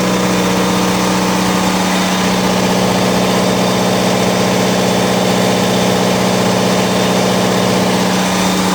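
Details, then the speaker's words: Onan DJC diesel generator, warmed up, on a load bank at a little over 7 kW: constant even drone and steady hum, no hunting or surging; stable healthy running under load. "DJB is, the DJC is performing really well. You didn't hear any variation in the motor whatsoever."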